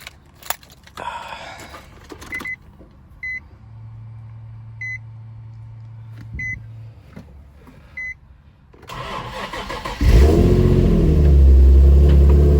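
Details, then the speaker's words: Nissan 350Z Nismo starting after a new battery and wiring cleanup: a few chime beeps, quick crank, then the engine settles into a steady, even idle; sounds healthy. "all right guys it starts there it is the car starts sounds healthy"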